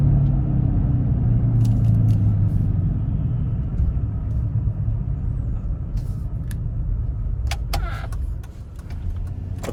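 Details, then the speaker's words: 2004 Chevy Trailblazer LS EXT 4x4 4.2L six, driving with spare tire fitted: low steady drone and slight vibration changing with speed under road rumble; tire ruled out, owner suspects front passenger wheel hub bearing, later replaced. "that test driving session just proved to me that it's definitely not the tire with the hum and the slight vibration changing with the speed of the vehicle i'm really suspecting that it is the wheel hub"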